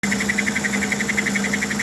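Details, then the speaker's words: Small 3D-printed tender cooling fan (beta version) running at 3 volts on the 310 after almost 10 minutes at full throttle: thin high whir, quick even chirping pulse, steady low hum; normal, temperature held around 75-76° versus 120C without fan. "I have a beta fan it's a new version of the fan and it's operating at 3 volts which is perfect it's not too hot not not too fast"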